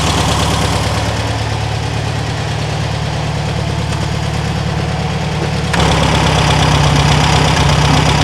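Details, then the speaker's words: 1974 VW Super Beetle just fitted with a new Pertronix electronic ignition, started with a bump button, airbox off: steady, even air-cooled thrum with no misses, picking up slightly near the end. Normal idle; the engine runs well again. "all right bumps over fires up sounds good let's get that airbox on engine done"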